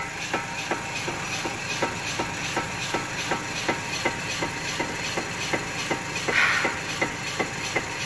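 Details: Chevrolet Malibu, right front wheel jacked up, traction control off, engine not running: sharp regular clicks about 160 a minute as the wheel is rocked by hand, from play in a worn right front wheel bearing.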